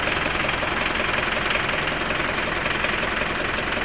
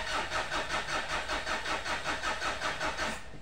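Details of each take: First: Mitsubishi Pajero common-rail diesel after no-start repair at timing belt, started easily; steady even idle clatter with a light regular tick, no misses or hunting, clear intake hose shows no air leak: normal diesel idle. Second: Mitsubishi Pajero common-rail diesel, towed in after suddenly failing to start: steady starter cranking without catching; no fuel rail pressure builds. Leak suspected at injectors, supply pump or rail sensor, still being checked.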